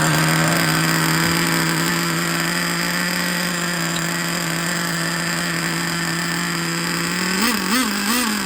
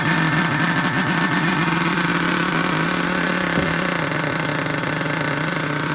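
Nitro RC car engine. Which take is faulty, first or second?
second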